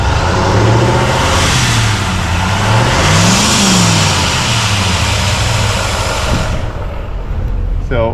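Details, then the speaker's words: Truck blew a hole in its turbo downpipe climbing a hill; loud rushing hiss and roar over the engine swelling with revs as exhaust pours out, probably very hot. Exhaust leak from cracked turbo downpipe. "I don't know if you can hear that in the video, but it's pissing out pretty good and it's probably just insanely hot."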